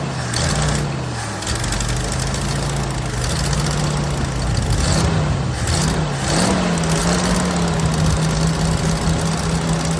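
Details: 1979 Jeep CJ5 after sitting since 2019, running on old tank fuel with carb/choke cleaner sprayed in: engine hunts and stumbles with uneven firing; rough running, owner suspects carburetor and tank fuel.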